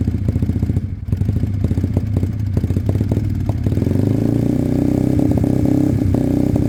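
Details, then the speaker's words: Sinnis Cruisestar motorcycle at a cold start on choke, with a new aftermarket exhaust: a sharp ticking chuff at each firing pulse, then it settles smoother; the header pipe leaks at the head and is loose despite shims. "so it's not sealed at the head properly even with their um shims it's uh it's loose on the pipe"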